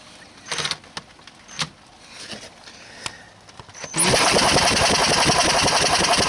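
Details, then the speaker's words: Honda ATC250SX with Astro conversion, turned slowly by hand, then spun fast by drill: soft puffs and rhythmic breathing showing compression but no firing; no spark, traced to oxidized coil connections and a neutral safety interlock not grounding. "so you can hear the engine turning over and the breathing so to speak as the piston goes up and down I didn't initially have spark"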